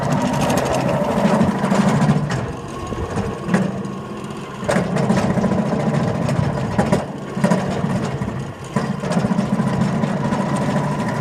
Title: loose belts or bad bearings ???????